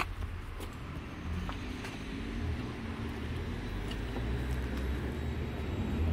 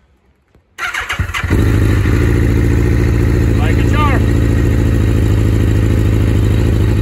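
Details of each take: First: Suzuki GSX-R 1000 after repair of first-cylinder problem: quiet, smooth, even low idle with no cracking or uneven beat; engine now runs healthy. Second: Suzuki GSX-R 1000 with a fault on the first cylinder, restarted after sitting over two months: it catches after a short crank, then idles lumpy and uneven like a twin, with one cylinder not firing properly.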